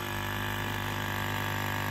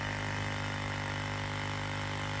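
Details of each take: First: 1999-2007 Ford Super Duty F-250/F-350 with 7.3 or 6.0 Power Stroke, air only from defrost and 4WD hubs not working: electric vacuum pump drones steadily, never cycling off when connected to the system; continuous running from a vacuum leak. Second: Vacuum pump on a 1999-2007 Ford Super Duty (7.3 or 6.0 Power Stroke) runs with an even electric hum and fast steady pulse, then winds down smoothly; after replacing a leaking vacuum hose, the system holds vacuum.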